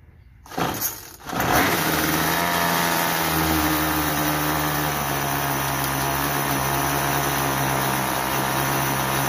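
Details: Troy-Bilt TB32EC two-stroke straight-shaft trimmer after carburetor idle adjustment (stalled on trigger, head spun at idle); pull start catches at once, settles into steady buzzing idle without stalling, head not spinning: normal idle.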